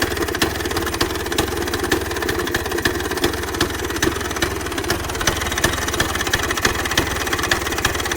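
Crisp, rapid two-stroke popping at a steady idle with even sharp pulses throughout; engine runs cleanly.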